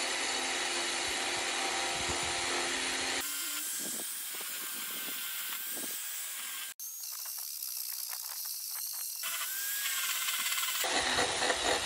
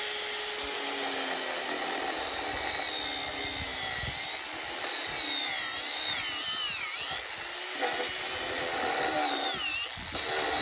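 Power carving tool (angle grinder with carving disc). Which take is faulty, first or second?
second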